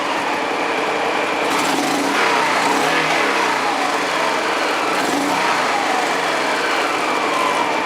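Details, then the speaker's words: Honda Pacific Coast PC-800 warming up, running again after a no-start, new spark plugs fitted: revs rise and fall cleanly with crisp pickup, no misses or rattles; normal revving. "I think that throttle response is pretty good now"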